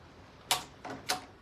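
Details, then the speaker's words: 1989 Kawasaki KX125, engine off: crisp separate clicks about half a second apart as gears are selected by hand through six speeds and back to neutral, no grinding; normal gear selection. "third fourth fifth and sixth back down to fifth fourth third second and neutral"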